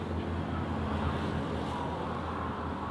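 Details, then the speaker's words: Toyota Altis 3ZZ 1600cc won't start: steady electric whir as the starter motor free-spins without cranking the engine. "โน้ทก็สตาร์ทไม่ติดนะครับมีอาการเหมือนไดสตาร์ทจะรูด"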